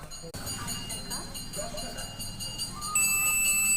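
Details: China CRT TV dead with a short on the 110V output supply; the rectifier diode, removed from the board, is tested with a multimeter. Over background music the meter gives a steady, holding continuity beep: diode shorted.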